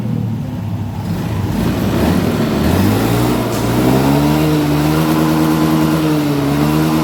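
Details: Honda Beat Street scooter after fuel pressure brought to 40 psi minimum, up from a weak pump that bogged and stuttered: small engine picks up cleanly under throttle with a steady rising drone, no stumbling.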